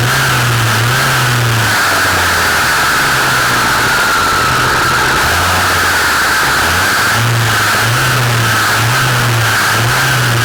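A loud, harsh two-stroke drone that swells and dips with the throttle; something in the drive line is noisy, cause not clear.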